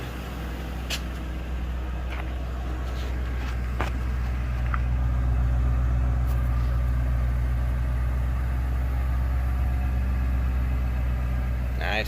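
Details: Lincoln Town Car V8 after replacing the coil pack on cylinder 6 for a misfire: deep steady even idle, smooth, no stumble or skipped beats; running clean on all cylinders, codes not yet cleared.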